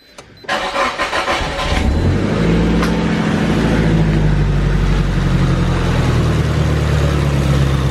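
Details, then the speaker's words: Nissan S15 just after a faulty ignition coil was replaced, previously running on 3 cylinders: brief crank, then a smooth, even idle with no stumble or misfire and much less engine shake; normal idle after repair. "There you go. Lot better. Yeah, so that's a lot better. Engine shakes a lot less."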